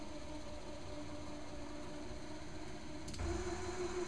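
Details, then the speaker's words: ZX45 conversion Z-axis head with 100 lb gas struts, upgraded from 50 lb that labored: faint motor hum, then a clean, smooth whine as the head drives down with no strain. "going up you can tell there seems to be a little bit easier going up than it does going down"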